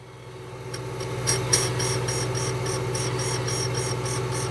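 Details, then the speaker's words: Old valve from a MINI R53 JCW cylinder head spun in a valve grinding machine: steady grinder hum with an uneven scraping pulse about four times a second as it touches the stone on one side only; bent valve. "So, I'm going to touch to the stone and then you can clearly hear it's bent because it's of course grinding on one side and not on the other side."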